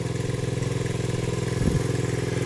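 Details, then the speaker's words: 1970 Honda CL100 single, formerly seized engine now running, still smoking, no battery fitted: small thumper at a steady, even idle with regular firing pulses and no knocks; sounds healthy. "just going to let it run guys I am counting this W right here from a stuck engine to it running and it sounds good"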